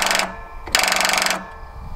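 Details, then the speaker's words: Toro TimeCutter SS5000 zero-turn mower that won't start after winter storage, on a boost pack, key on, levers in park: fast machine-gun clicking bursts, no cranking; starter solenoid chattering, bad solenoid or low voltage suspected. "so we've got the machine gun Kelly effect here and pretty sure what you're hearing right there is this starter solenoid chattering yeah definitely can feel it so more than likely we've either got a bad solenoid now low voltage can cause that too so if you got to dead battery but you hear how how loud that's chattering"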